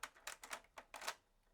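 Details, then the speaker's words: Early-90s Sherwood DD-3010C double cassette deck bought cheap from a recycling centre. Second deck in play: a few irregular clicks and a short clatter, then quiet, with reels not turning; take-up reel belt seen slipping. Fault traced to a broken cam gear post. "well that one doesn't sound healthy yeah the reels are not turning in there I think I see the problem"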